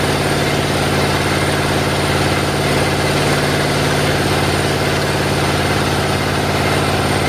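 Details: Rebuilt 350 Chevy V8 with a flat tappet cam. A loud steady even open-exhaust idle, all cylinders firing cleanly with no ticking or knocking; a healthy engine.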